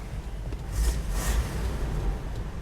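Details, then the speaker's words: 1965 Buick Riviera Grand Sport, 425ci V8 dual quads, dual exhaust, about 90,675 miles, serviced, heard from outside just after start-up: low even idle rumble, no smoke, hesitation, knock or odd sounds; super smooth. "i'll let you guys hear what it sounds like no smoke or hesitation no funny sounds no knocking super smooth"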